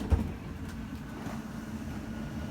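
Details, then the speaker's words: Microlight 25BRDS travel trailer, slide-out run from the control panel, ram-style slide: even low motor drone and steady hum without grinding or straining; a click indicates full extension, normal operation. "slides on a ram style so you're going to listen for a clicking sound and that'll indicate that it's fully extended"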